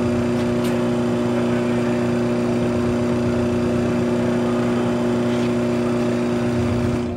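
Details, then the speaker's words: Maytag Bravos XL Steam top-load washer at full spin speed after draining, lid locked: smooth, steady motor hum with even tone, no knocking or grinding; normal spin cycle. "mommy I think it's going faster yeah it's really fast spinning"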